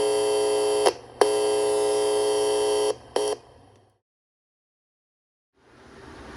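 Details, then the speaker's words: General Electric P1700-series AM transistor radio, about 1966, 10 germanium transistors, under repair: audio section works again but oscillator only weak; steady buzzing tone cuts out, returns, then drops to silence. "Okay, I have the audio section working again, and I've got a little bit of oscillator action as well. You can hear the audio."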